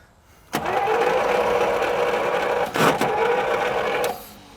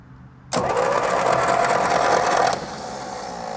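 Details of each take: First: 1937 Buick Special straight-eight, neglected for decades, given fuel by hand and cranked for about three and a half seconds with an even starter whirr that never fires. Possibly not enough fuel. Crank, no start. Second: 1937 Buick Special straight-eight that sat for decades, cranking without plugs before spark checks: steady starter whine with an even churning beat as the engine spins freely and blows air; the starter works normally.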